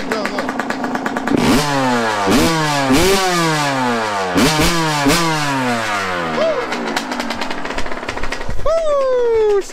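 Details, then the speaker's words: Yamaha YZ125 two-stroke after carb tuning, throttle response set and idle turned up: crisp blips rising and falling cleanly several times, settling back to idle without bogging; carburetion sounds right. "she sounds good right now y'all i ain't gonna catch she sounds good"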